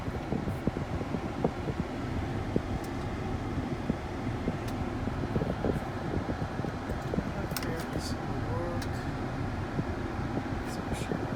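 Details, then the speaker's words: Volvo XC90 after blower fan replacement with a used 2006 S60 unit: smooth, steady rush of cold air, no chirp or squeak, running quietly; the earlier chirping noise is gone, normal blower fan operation. "no more noise no more chirping noise only the only the wind blowing cold wind yep"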